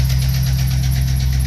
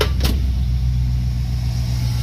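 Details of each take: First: Chevrolet 5.3 L V8 truck idling before repair: quick, light ticking at about five a second over a steady idle with a tone over it; a bad lifter, collapsed or worn, to be replaced. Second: Chevrolet Tahoe 5.3L V8 after replacing an active lifter and changing the oil: deep, even idle with a steady low rumble and no more ticking or rattling. Normal idle after repair.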